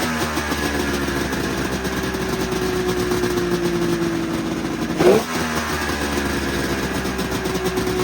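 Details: 1999 Arctic Cat ZRT 600 triple two-stroke snowmobile, revived after sitting over 20 years, airbox off: steady, even idle with a constant note and one brief blip; normal idle.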